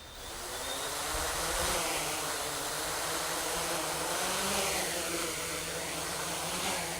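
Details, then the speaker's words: 550 hexacopter on a Naza V2 with GPS lock, throttled up from idle: rotor whine rises and falls irregularly instead of holding steady. Motors surge up and down, the throttle is uncontrollable and the craft won't hold position. Cause unknown to the owner. "as you can see it's just all over the place i don't know what i have no control over this thing right now it's up and down it just doesn't want to stay it doesn't want to stay anywhere"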